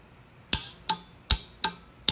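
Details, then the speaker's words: 1947 Ford tractor starter solenoid, bench-tested on positive ground after removing its internal diode: five sharp, crisp clicks, each a clean snap; the DC coil now pulls in properly in either polarity. "yep beautiful so now it'll work in either direction because it's just a dc coil"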